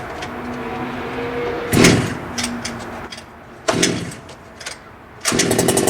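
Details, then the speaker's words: HPI Baja 5T two-stroke RC car, just started after priming and choke, warming up: small burbling at low idle with a few sharp throttle blips, settling and running normally. "Point, we're going to let it idle in for probably a good 30 seconds or so, get it warmed up."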